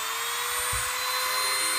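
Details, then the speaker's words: Mini angle grinder, previously completely dead, after replacing the on/off switch: steady even high-pitched motor whine with no surging, grinding or cutting out; running normally again. "Oke jadi seperti ini Lur Oke sudah nyala dan normal kembali"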